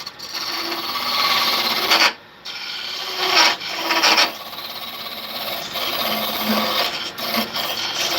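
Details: Woodworking tool cutting a workpiece: rough raspy scraping in uneven bursts with buzzy chatter, tool vibrating against the work; operator thinks he is cutting beyond his working range, not confirmed.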